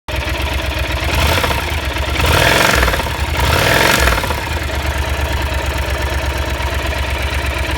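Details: Yamaha TDM (4TX): dull, uneven knocking under idle that grows with two throttle blips, diagnosed as failed connecting-rod (big-end) bearings.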